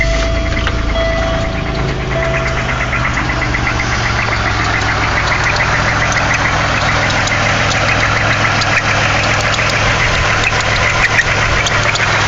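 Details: 1998 Pontiac Grand Prix GT 3800 3.8L V6 at idle: fast, muted knock about three per second buried in engine clatter; confirmed rod knock from a worn rod bearing.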